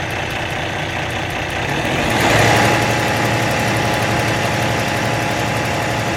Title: Bad camshaft clicking noise from engine